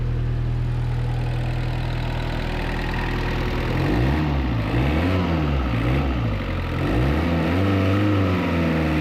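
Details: 1986 Suzuki Samurai turbo diesel idling after injector pump replaced with a rebuilt unit (old front seal leaked fuel): even, smooth low clatter, no misses, some tonal noise later; smoothest it has run, little smoke, blow-by at filter; normal idle.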